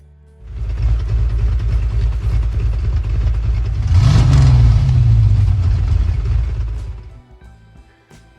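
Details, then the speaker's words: 1983 Pontiac Firebird with 5.3 LS V8 and dual exhaust, cold start after sitting all winter, battery weak: deep V8 burble holds steady, picks up cleanly on a quick rev and settles back, runs healthy. "but it runs it's good to hear it"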